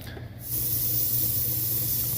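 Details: Roughly 2001 10-ton Lennox R22 unit that won't cool. The system was flat, so R22 was charged and backed with nitrogen. A steady, loud gas hiss over the unit's low hum is refrigerant escaping from a leak, later found at the back of the circuit.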